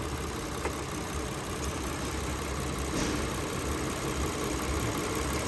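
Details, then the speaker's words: AC condenser fans at idle in low ambient temperature, AC pressure about 169 PSI and dropping: steady idle with an even fan whoosh; both fans running on low speed, no longer howling. "so now both fans are on low speed and with both fans on you don't hear them no more howling right"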